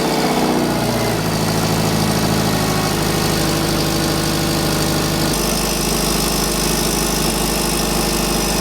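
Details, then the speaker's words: Subaru with ETS rotated turbo kit, idling after install: raspy, uneven puffing over the low rumble, a large exhaust leak from a crooked V-band at the turbo up-pipe flange, to be straightened. "that v-band on that up pipe flange is not straight at all that would explain why we have a huge exhaust leak"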